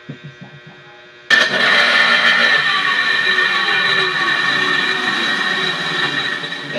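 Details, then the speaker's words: Plant cold-water circulation water pump: a loud, rough grinding roar with a steady high whine as it switches on. Owner suspects a broken bearing, to be replaced. Worn pump bearing noise. "Ito po B maingay siya siguro basag sira na yung bearing nito Kaya sobrang ingay niya"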